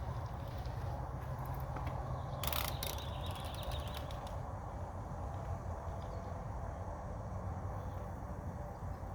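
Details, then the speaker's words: 24-inch bike after a new seven-speed chain was installed and shifting tuned, on a test ride: quick, even freewheel ticking while coasting, with the chain running quietly; the drivetrain is healthy. "it looks good ride's good i think we're good to go"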